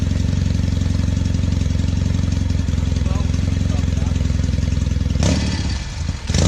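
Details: 1968 Norton Commando twin (one of the first 100 made) on a test ride after switching from monograde to 20W50 oil: uneven, lumpy, ragged firing, heavy smoke on the left side, rough running; owner plans to pull the head.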